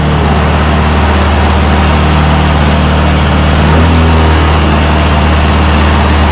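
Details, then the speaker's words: 2007 Honda Metropolitan 50cc scooter just started after priming, possibly electric choke, complaint of dropping engine speed: steady, fairly quick even idle, possibly a little high; unsure. "oh she's running I had put my hand on the brake start it up nice and easy that idle might be a little bit on the high side not sure though"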